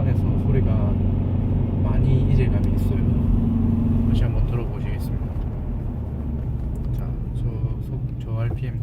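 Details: Kia K3 GT petrol turbo driving at low rpm in comfort/sport mode: low, steady, coarse diesel-like droning buzz and tremble from the electronic engine sound generator (ESG), which cannot be switched off; worse in sport mode.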